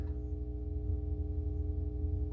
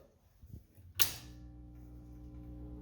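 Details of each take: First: Atari Asteroids arcade cabinet power supply on with game board and monitor disconnected: steady low hum with a faint higher buzz, unchanging; buzz probably from lack of a signal, cause unconfirmed. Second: Atari Asteroids arcade cabinet power-up, fuses removed so only heater voltage should be present: a sharp pop, then a steady low buzzing hum as the fluorescent tube lights; normal fluorescent lamp start-up, confirming voltage.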